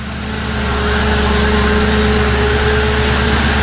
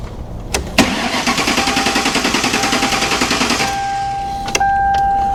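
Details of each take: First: 1957 Ford Ranch Wagon project that wouldn't run until the tripped fuel pump inertia switch was reset. Smooth, steady idle with a faint hum; normal idle. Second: 1957 Ford Ranch Wagon body on a Mercury chassis after the swap: starter spins the engine evenly at about three and a half pulses a second for three seconds but it never catches. Owner suspected a missing ground; fuel was cut by a tripped inertia switch.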